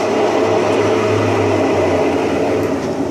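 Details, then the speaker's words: Brastemp Simples Toque washing machine, which was also leaking water: starts fine, then a loud, steady roar with low droning hum at speed from worn, rotten tub bearings. "na hora que ela começa tudo bem mas daqui a pouco ela pega embalo parece que vai decolar parece já estão lá no aeroporto né"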